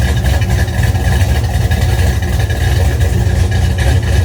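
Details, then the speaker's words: 1971 Dodge Demon with rebuilt 1974 318 V8, 273 heads, Holley 750, cold start at 30 degrees; deep V8 idle with a fast sharp puffing tick on every exhaust pulse from leaking header gaskets (cheap kit gaskets). "This is a cold start, and it is 30 degrees here. And sometimes got a mist and exhaust leak, header leak."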